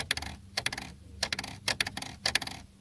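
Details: Lada Kalina, knock and rattle near the centre pillar on rough roads: sharp tinny rattles in five short bursts about every half second are loose lock rods buzzing inside the door. Temporarily silenced with string.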